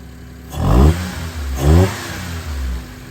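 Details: Mitsubishi Toppo BJ with homemade Blitz intake: two quick throttle blips climbing and falling cleanly to idle with raspy intake growl; engine revs freely and sounds healthy.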